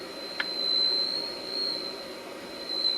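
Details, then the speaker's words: Philco 48-250 tube radio after full paper and electrolytic capacitor replacement, IF alignment: steady 455 signal-generator test tone through speaker swells and fades as IF transformer output then input trimmers are tuned for maximum volume, judged by ear. "you're supposed to go to the tuning capacitor uh the output first and then the input and you looking to hear some higher volume and you can hear that now"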